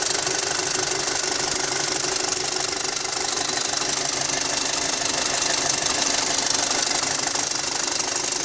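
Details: Audi A4 2.0T 6-speed Avant petrol engine idling with fast steady metallic ticking/rattling over a bright hissy running sound; cause not identified.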